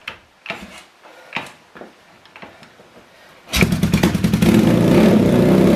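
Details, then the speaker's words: Yamaha TX750 twin (early-1970s), winter cold start around -40C, choke on, kick start: a few scuffing kicks with some compression, then catches and settles into a deep, even, throaty beat; healthy cold start. "Put the gas on. I'll give her a kick, choke. Oh, she's got a bit of compression."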